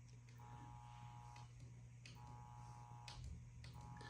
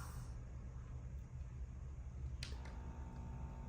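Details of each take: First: Heathkit 1144 power supply (repaired with replacement 3055 transistors) powering a Ten-Tec Omni 6 at full transmit, about 75 W out, ~20 A: steady low mains hum with tone bursts as it keys; hums under load but works. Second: Heathkit 1144 power supply, repaired with new 3055A transistors, powering a Ten-Tec Omni 6 transmitting at full power: faint low, steady transformer hum under load in a quiet room; supply working normally.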